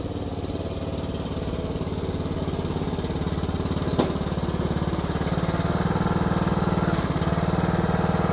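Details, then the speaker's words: Craftsman YTS3000 riding mower single-cylinder engine, given away for a suspected rod knock, after valve adjustment; thumps along evenly at steady low speed with no knock or clatter; normal running. "I think it's more working pretty good seems like we got our problem fixed"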